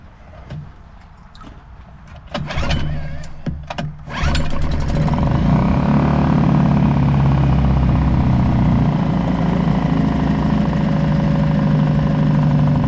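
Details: Suzuki DF 2.5 HP four-stroke outboard in a test bucket, no-start traced to the oil level sensor, oil topped to mid sight glass, choke on, neutral: a few cord pulls, then catches and holds a steady, even idle.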